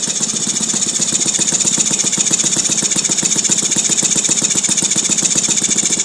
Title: Saito FG-36 with a strange noise